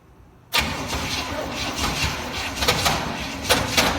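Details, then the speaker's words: 1969 Chevy C/20 with 327 V8, first start after 40 years, after ignition work and muffler cut off: starter churns with uneven bursts as some cylinders catch, sputtering, very close to starting. "yep here we go so close here we go it's so darn close it's close"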